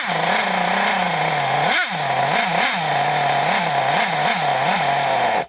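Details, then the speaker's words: Scrap Thunder Tiger .28 Pro nitro RC engine, no clutch or bell fitted: buzzing tick-over that sags and surges every half second, then dies; idle set too low to keep running, idle screw to be raised. "Oh, that tick over is a bit low now. Let's put that up and it should run. It should tick over."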